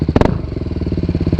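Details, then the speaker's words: Motorcycle with an Akrapovic exhaust that burst and was repacked with carbon, now much louder: two sharp exhaust cracks on a quick throttle blip, then a lumpy idle. Exhaust popping on blip. "Nah kalau sekarang suaranya nih kayak gini nih bustelle suara keras banget Hai Nah kalau ide gini ya biasa tapi sekarang gue bisa ngebel nya agak jebret nih dia lebih nembak"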